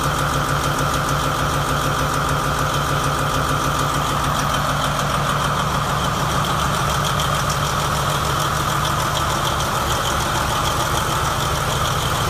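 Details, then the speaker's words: New 2017 MTU 16V diesel genset, 2250 kW, 1800 rpm, 3 hours' runtime, test-run from a temporary diesel tank: a smooth, dense idle rumble with a steady mid hum and no uneven beats. Normal, running properly. "Checked it out. Everything seems to be normal and running properly."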